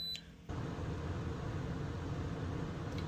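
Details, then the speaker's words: Gree (TOSOT/Eco-Cool) heat pump RV air conditioner, fan on high: one short beep, then a smooth, steady rush of air holds evenly with no rattle, about 57-58 dB against a 40 dB background; normal fan operation. "goes to about 57 58 now if I turn the fan to low drops down to about 54 55"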